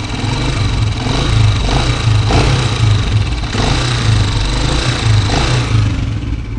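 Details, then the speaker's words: 2023 Honda CG125 single-cylinder bike, idling and revving: a loud rattling clatter from the top end keeps pace with engine speed. Consistent with a slack cam chain tensioner, to be fixed with a 12 mm wrench and a bolt. "सुनी आपने, देख सकते हैं बाइक जो है ये बाइक 2023 मॉडल है और इसके इंजन से कितनी खतरनाक आवाज़ आ रही।"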